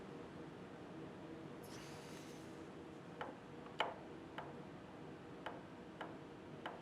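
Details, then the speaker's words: Differential setup, adjusting nuts moved two notches to bring crown gear closer to pinion: sharp metallic clacks, about six, as the crown gear is rocked by hand; some backlash removed but excessive ring and pinion backlash remains. "I've removed some of the backlash not enough you can still hear it"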